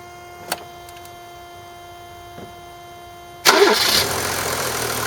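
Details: 1991 Mercedes 350SDL, OM603 diesel, restarted right after an oil change to check an earlier tapping noise: catches quickly and settles into an even diesel clatter with no tapping or knocking, oil pressure 2 bar; normal warm idle.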